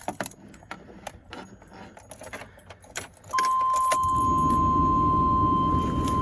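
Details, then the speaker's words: 1997 Chevy 3500 Express van, not run for five years, after new battery, oil change and fixing spider injectors and fouled plugs; fires right up and settles into smooth idle under door-chime beep, previously running rough; normal start. "hear that fire's right up that little buzzer was kind of the way so let me redo it i mean that's smooth a little pressure that's good"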